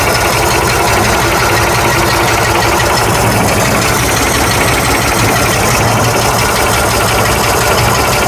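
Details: 1965 Ford F100 240 six after carburetor replacement and oil change, at a slightly raised idle: steady, even low throb under close-up hiss; running smoothly.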